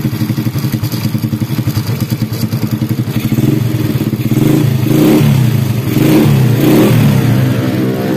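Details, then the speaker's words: Honda Supra Grand single after cam chain replacement, which cured a bad rattle from a worn roller: starts with a loud exhaust pop, then revs smoothly with no top-end rattle. Normal running. "Nah kayak gini suaranya Udah halus kembali ya Tadi parah banget gemericik banget ya karena roll katanya habis nah ini udah mendingan ya"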